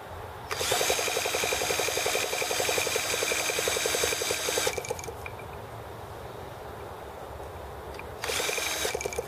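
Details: T26 model engine at 3°F (-13°C), after a valve job and rocker-arm and carb tuning: the drill whirs in two cranking bursts with quick compression ticks, about four per second, and never catches. It is too cold and the carb ices up; the cooling water froze too.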